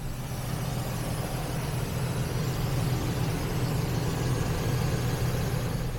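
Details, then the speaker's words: Chevy truck idling after fixing a no-spark problem by soldering a wire: deep, steady, even idle rumble with no misses; check engine light still on, and a slight hiss was noted afterward. "and let's uh let's see what [Music] happens woohoo fantastic running like a champ"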